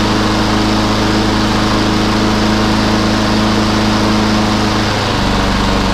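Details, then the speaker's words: Lawnmower after a carburettor clean (it previously started but soon stopped), started on choke: the small single-cylinder settles into a steady, even beat with one slight pitch dip near the end. Normal running, fixed. "didn't like frothing back up, but uh that has been running for a while. Good show. She's a runner."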